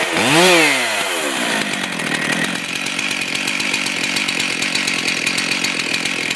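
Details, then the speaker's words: Stihl MS441 chainsaw after tightening loose cylinder bolts (one missing bolt replaced, blue Loctite added); previously over-revved and wouldn't idle. Starts with a quick rise and fall in revs, then settles into a steady, even normal idle. "So, I'm just going to start it up and let it idle to show you that it idles properly."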